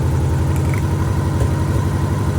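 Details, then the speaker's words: 1987 Honda GL1200 at idle after carb rebuild, still popping while running: low, lumpy, uneven idle; pulling plug wires shows no idle drop on cylinder 2, so it is dead, with weak or sporadic spark from that wire or its coil suspected. "No popping. I think that the spark coming from this wire here going to cylinder number 2 is either weak or sporadic, but it's not doing enough to fire the cylinder."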